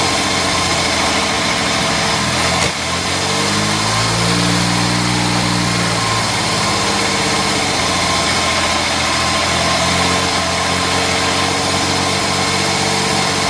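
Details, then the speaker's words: Jaguar MKII, carburetors recently removed, cleaned and refitted after running beautifully: uneven, lumpy, stumbling running with a brief rev that doesn't clean up; rough running, owner suspects timing off or not firing on all cylinders. "okay I'm not going to let that carry on that is not right"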